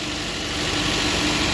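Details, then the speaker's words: 2015 Chevy Cruze 1.4T, 68,000 miles, with P1101 code, jerking and PCV hiss, after valve cover/gasket replacement: steady, even idle hum with no hiss or stumble. Normal idle. "and that noise should be gone no more hissing and this thing should act right it should idle smoothly a lot better whole lot"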